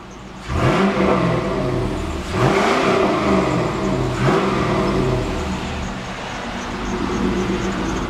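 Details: 2000 Pontiac Trans Am with its check engine light on, believed to be from a small PCV hose vacuum leak. Three clean throttle blips rise and fall smoothly with no knocks or rattles; the engine is healthy.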